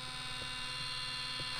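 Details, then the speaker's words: Minn Kota trolling motor with bad vibration above speed 5, being aligned: steady high-pitched electric whine with a rough, gritty edge, grinding in this position; cause unknown. "that sounds like you're grinding"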